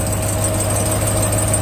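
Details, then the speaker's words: Ram TRX supercharged Hellcat V8 at idle, heard from underneath with the exhaust heating fast. A thin, steady high squeal sits over a deep idle, the known "Hellcat squeak". Source suspected at the cast manifold or the manifold-to-exhaust joint, unconfirmed. "I don't know, people said it's coming from the cast, but it sounds to me like it's coming from between the manifold and the exhaust."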